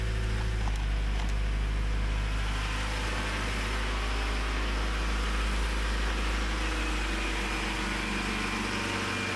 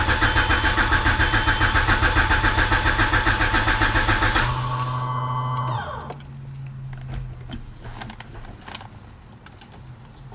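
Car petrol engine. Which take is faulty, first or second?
second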